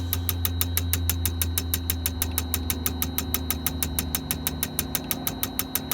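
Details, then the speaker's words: V8 (LS swap) idling with sharp, regular ticks about three a second over a low, uneven rumble. The low-RPM misfire was traced to cheap injector adapters after nearly a day of searching. "all right folks after almost a day of searching for a low RPM misfire this is what I [Music]"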